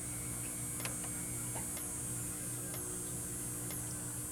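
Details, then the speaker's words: Fire alarm strobe on a full-wave rectified (FWR) panel: steady low mains-type buzz with faint tick about once a second as it flashes; loud buzzing from unfiltered rectified power, said not to harm the strobe; relays click switching it. "if you have one of these alarms and you have an fwr panel that's no problem so and you can hear the loud buzzing in here"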